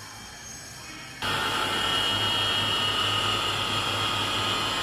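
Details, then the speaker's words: Chinese water pump motor after bearing replacement, previously noisy: switches on and runs with a steady hum and even high whine, described as its normal sound. "كده صوت الموتور الحمد لله اهوت بعد ما غير له بيل، لكن هو الموتور صيني، الصوت ده وده الصوت الطبيعي بتاعه"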